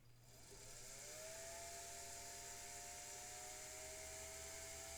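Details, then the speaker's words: Singer 99K vintage sewing machine after motor overhaul and new motor belt, needle not engaged: smooth whir spins up quickly and holds an even, steady pitch with no groan or rattle; quiet, healthy motor. "Sounds very happy. I like that sound. I can even turn it around. How about that, guys? I have a revolving machine with a very quiet motor."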